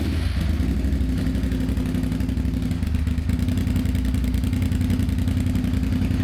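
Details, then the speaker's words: Suzuki SV650 V-twin at an even, steady idle with no misses or odd knocks, just after an electrical repair; charging reads 14.5 volts, so the regulator works; normal running. "So we're going to start the engine now</b> <b>and then we just</b> <b>straight away we're going to</b> <b>check the voltage and see if the</b> <b>regulator is regulating the voltage."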